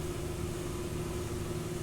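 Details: Ford Focus EcoBoost cranks with a steady low drone and faint whine but never fires, though fuel and spark were present. The valve timing was disturbed when the owner replaced the water pump; after retiming, the engine started.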